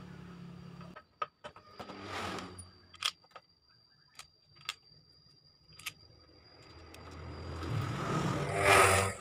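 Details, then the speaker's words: Honda Supra 125 after refitting the reversed starter magnets correctly: a few clicks, then the starter spins, engages and the engine catches and revs; starter now engaging properly, repair fixed. "Ayo kita coba starter Oke sudah beres ya ini mesin sudah nyangkut udah mau nyala"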